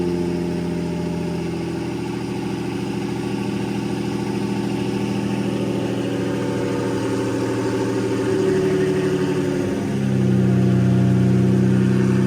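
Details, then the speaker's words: Lamborghini Murcielago V12 after repairs (new filters), left to heat cycle: a smooth, even idle with a steady hum, then a clean step up in speed that holds steady. Normal idle. "i'm gonna get it back together but it's running and happy again"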